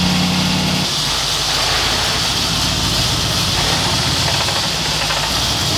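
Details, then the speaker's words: 1986 Ford F250 just after a ZF5 transmission swap, first move: the engine runs under a harsh, steady metallic grind and rattle. Owner suspects a hanging starter or something at the flywheel; not confirmed. "I think the starter's hanging. So something in the flywheel is making a lot of noise."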